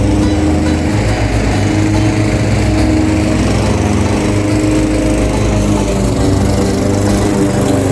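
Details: Craftsman 21-inch mower, 5.5 hp Honda GCV160, cutting grass at height level two after service: strong, steady drone holding speed as it bites into grass, no surging or misfire; healthy, fully functioning, nothing technically wrong.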